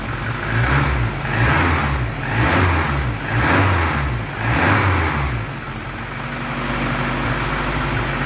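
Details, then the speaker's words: Triumph Dolomite Sprint petrol engine at first start after rebuild, choke partly on, engine stabiliser bar not yet fitted, slight exhaust smoke from burning off build oil; clean revving blips about once a second, no rattles or knocks, healthy. "That sounds really sweet. No rattles, no knocks, just as it should be."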